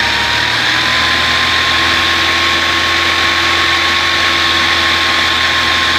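Steady idle carries a thin constant whistle over the hum, rising slightly in pitch; source of the noise unclear, idle itself even.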